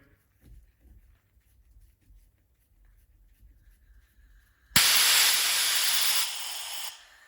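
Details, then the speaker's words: 2012 Harley-Davidson CVO FLTR Road Glide oil pump on the bench during Feuling lifter and cam bearing job: air-pressure test after fitting new Feuling plunger and spring; sharp two-second air rush as relief valve pops off right at 60–61 psi, working correctly. "and now you can hear our pressure pops off right at 60 61 psi perfect"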